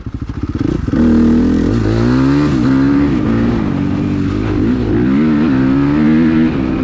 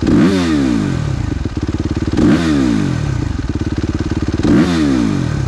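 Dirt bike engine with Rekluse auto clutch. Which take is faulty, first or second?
second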